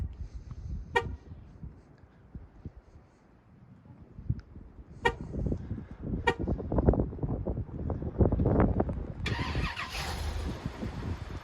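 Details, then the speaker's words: Chevrolet Avalanche 2500 with 8.1 big block V8, cold start in winter snow: fires right up, rough cold idle with short sharp chirps of a slipping drive belt, blamed on cold weather and Chinese-made parts. "fires right up she's s but you can hear that idle the away a little belt slip that's to be expected in this cold weather with the PS you get from China these days"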